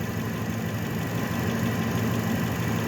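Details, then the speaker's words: Truck engine after belt system repair (power steering pump, idler pulley, alternator), now charging with belts running true, idling then light throttle: smooth, even low rumble with no squeal, chirp or knock; running healthy. "we'll give it a little throttle. So I'm not hearing any weird noises"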